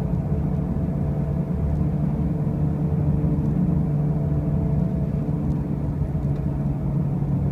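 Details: 2005 Pontiac Grand Prix with brand new wheel bearings and new tires: a constant heavy low drone with a steady hum under it throughout the drive; a loud running noise, source not pinned down.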